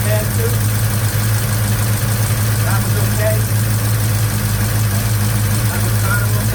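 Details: 1956 Chevy Bel Air 307 V8 idling with the valve covers off after a lifter replacement, 70 psi oil pressure: uneven choppy idle with light ticking over a low rumble that follows engine speed. Suspected rocker tick.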